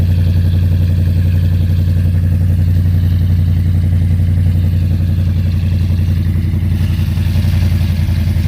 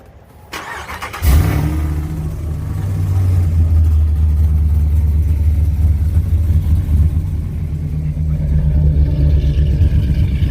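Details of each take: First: Whipple supercharged cammed Ram 1500 Hemi V8 idling after installing new MBRP stainless catback exhaust with five-inch tips; deep steady idle with slight cam lope, no rattling, exhaust fixed. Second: Whipple-supercharged cammed Ram 1500 Hemi, not fully cold start: loud lumpy idle with bad rattling from the blown-out muffler, before new MBRP stainless catback.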